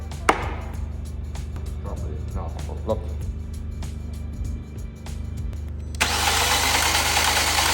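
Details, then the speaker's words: Fiat Punto (Copart purchase) after re-timing: starter spins the engine quickly and lightly with an even whirr and no compression beats; compression test reads zero in all cylinders, oil changes nothing, valves suspected not seating, probably still out of time. "Now, folks, I think we're facing a worst-case scenario right now cuz I believe the timing to be correct, but I think those valves aren't seating at all. So, we're going to do a little compression test."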